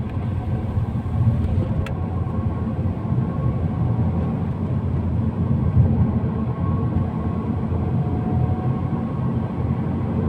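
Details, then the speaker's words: 2008 BMW 3 Series E90 318 four-cylinder petrol, driving: a faint hollow whine, almost like a wheel bearing, shifting pitch with speed over road rumble; wheel bearings checked fine, traced to the rear differential. "yeah it's a weird um sound almost like a wheelbarrow but not which is what we thought it was at first turns out um quite checked over wheel burns are fine turns out it's the uh diff"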